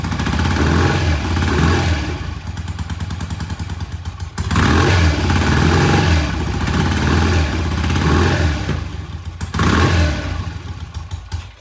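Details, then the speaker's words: 1968 BSA motorcycle started, not yet warmed up: uneven, lumpy beat that surges and sags, won't hold idle, like a lazy cylinder missing. Cause unconfirmed; plan is to warm it slowly and check fuel flow. "like we got a lazy cylinder. Yeah. Huh. It doesn't want to idle."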